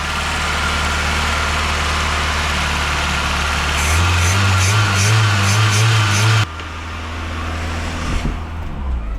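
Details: VW Golf II after full carburetor restoration, now starting instantly despite slight white smoke and a leaking manifold: a settled, even idle with a steady low hum, no misfire or hunting, and at most a faint light click.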